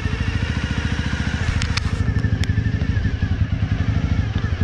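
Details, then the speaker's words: 1997 Honda Dream 50 (AC15), which has been sitting and spent two months in a shipping container. Idles with an uneven, lumpy putter and beats not quite steady. The owner says the carb needs cleaning and maybe a new plug. Rough running. "it runs a bit rough right now but uh it's been sitting for a while and it has been on a shipping container for two months so it'll definitely need a carburetor clean maybe new spark plug and everything"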